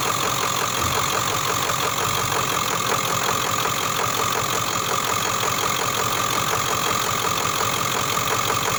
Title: OBS 7.3 engine knocking